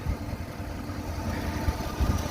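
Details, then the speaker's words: 1965 Ford Galaxie 500 with 352 V8 and Cruise-O-Matic, running on old gas plus two gallons fresh: very quiet soft low rumble with an even beat, nothing rattling; still stumbles a bit, possible slight exhaust manifold leak tick suspected; healthy idle. "it's running on some old gas we put two gallons of fresh gas in it and I don't know what's in you yeah you can barely hear the thing really quiet"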